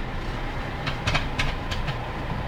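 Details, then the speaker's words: Car pulling away and braking: sharp, irregular, very loud knocks over a low rumble from the front wheel area. The wheel was removed and everything was found tight, and an inspection on a lift showed nothing. Cause unknown. "включаем начинаем двигаться тормозами такой дергаем ее и там что то очень сильно стучит вот при троганье тоже вот она"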